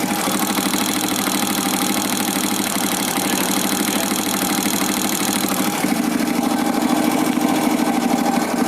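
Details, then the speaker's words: Honda motorcycle engine at idle before valve adjustment, microphone held close to the engine; fast, sharp metallic ticking about three per second from incorrect valve clearance, needs adjusting. "adalah suara dari penyetelan katup yang tidak tepat. Kalau kita dengar, dia suara dari mesin, dia akan meritik taktik taktik taktik taktik."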